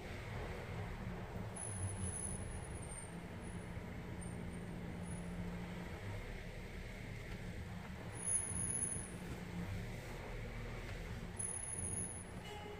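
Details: Volvo XC90 rear brakes: short high thin squeals come and go over road rumble as brakes are applied; new brake discs and pads released as the fix, cause not confirmed.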